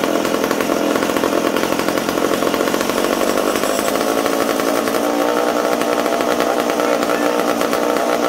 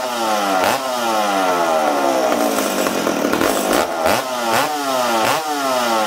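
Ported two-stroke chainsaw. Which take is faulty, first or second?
second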